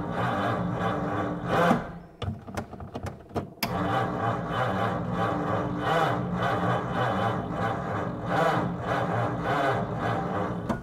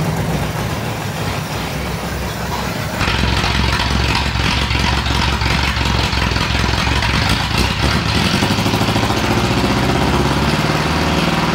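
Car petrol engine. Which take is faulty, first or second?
second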